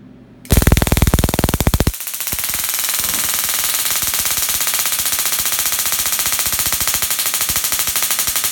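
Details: Dual RPS half reconfigured to about 100 kV with half the diodes flipped, Darson Bell configuration; sharp rapid crackling snaps, about four per second, steady over the run as it charges up and discharges; normal spark gap arcing.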